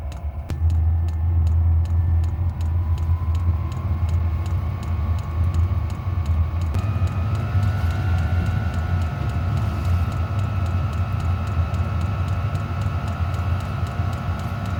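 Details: Voyoch diesel heater in a camper trailer, just switched on from the control panel: steady fuel pump ticking about three times a second over an even low burner rumble and fan hum after ignition; normal running.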